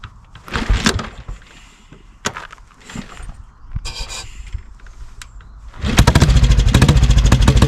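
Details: 1957 Redditch 500 Bullet single, not run in nine months of ownership, kick-started. Scattered coughs, then a steady thump. It runs evenly once the petrol is turned off and the carb runs dry; the carb and float needle seat are to be checked. Finding: hard starting from carburettor flooding.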